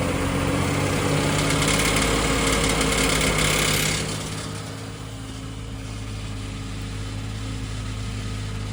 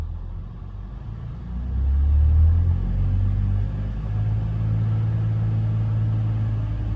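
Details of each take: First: BMW X5 E53, M54 3.0i, slightly warmed: idle with light, fairly even tapping over the hum, louder under blips around 2000 rpm; knock from cracked torque converter flexplate. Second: BMW X5 E53, M54 3.0i, after replacing cracked torque converter flexplate (a mounting bolt possibly loose had struck the flywheel): smooth low rumble held near 2000 rpm, no knock or rattle; noise eliminated.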